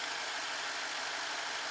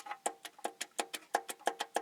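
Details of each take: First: 2012 BMW 650, 4.4 L N63 twin-turbo V8, known-good cylinder reference at idle during warm-up with multi-strike ignition: even, steady hum with no knock or tick; normal idle. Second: 2012 BMW 650, 4.4 L N63 twin-turbo V8, with engine silent: crisp metallic clacks about five a second as cylinder 7's connecting rod is moved; heat-discolored rod, visible bearing shell, rod knock from a loose rod bearing.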